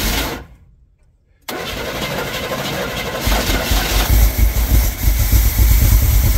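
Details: Chevy squarebody truck parked 19 years, started after timing set: cranks, catches after a pause and settles into a lumpy, irregular idle; a little blue smoke, owner thinks from sitting so long. Rough running.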